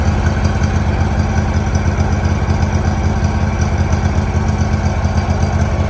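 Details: 2018 Hustler Raptor SD 54-inch mower, Kawasaki FR691V V-twin, after head gasket and valve seal replacement for intermittent smoking, shroud off, choke start. Steady low putter at constant idle speed, no knocking or missing; spilled oil smoking off. Normal idle.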